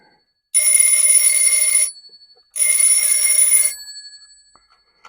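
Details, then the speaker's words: Old telephone bell ringer with stranded bare wires, powered up: two loud bright one-second bursts of rapid even ringing, not continuous; ringer works, then the screw came out. "I'd like it to just keep ringing CU then I can adjust it but it's not"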